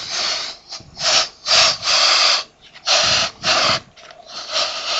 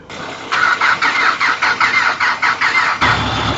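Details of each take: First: Fuel tank vapor pressure release on a 4WD after a rough, steep track in hot conditions: loud airy hissing in repeated bursts as the cap is cracked, tank had been hissing; petrol was boiling, causing vapor locks climbing hills. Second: Vehicle with a low battery, jump-started in the morning: starter cranks in pulses about three a second for 2.5 seconds, then the engine catches and runs; owner suspects it was flooded with petrol and fuel is not getting through.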